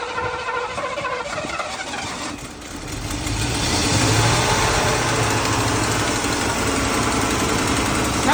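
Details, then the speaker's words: Red Mercedes W126 first start after 15 years, running on gasoline poured in externally (fuel tank removed), ignition timing adjusted, oil pressure good: catches and settles into steady, even idle with no knocking, judged normal. "good. It's okay. It's okay. That's That's normal, all right?"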